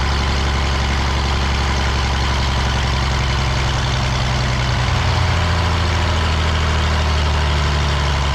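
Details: The Rockabilly Rat, an old truck engine, holds a deep, low, steady idle with a slow even pulse for several seconds without misfires after spark and timing work; running fine.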